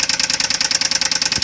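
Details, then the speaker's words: Knocking Jaguar engine at idle just after an oil change with Dura-Lube additive: sharp, even knock about ten per second over a steady idle; owner rates it maybe slightly better but still bad; cause not pinned down. "personally 0.5 better but that's kind of about it nope that still sounds like crap"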